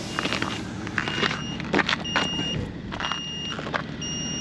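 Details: Old Ford F-150 at minus 40 after sitting 4–5 days: jump pack, down to 54% charge, sounds steady short high beeps about every second over a car in the background, warning of low charge.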